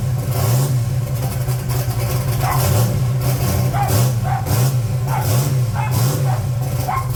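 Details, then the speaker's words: 1980 Trans Am Gen 1 small-block Chevy, blow-through carburetor turbo, cold start after valve seal replacement, not run for a few days: catches and holds steady idle with gentle rev swells, no knocking or stumbling; smoking less; normal cold idle. "This thing starts right up though. That's a cold start. It ain't been started in a few days."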